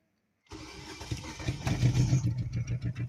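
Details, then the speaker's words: Four-cylinder coil-pack engine with the suspect coil lifted fully off its spark plug: it runs just as lumpy with a stumbling pulse either way. The dead cylinder is confirmed, and the cause is either that coil or that spark plug. "I have that coil all the way up and out it's not contacting that spark pug and it's run the same way I push it back down run the same way it's not cylinder it's either this coil or that spark plug"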